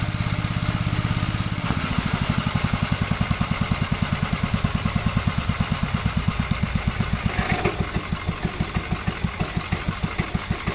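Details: '57 Gravely with a smaller 12-volt battery fitted, mowing soaked grass: a steady single-cylinder thump at about three beats a second holds even under load with no misses. The healthy engine cuts with power to spare.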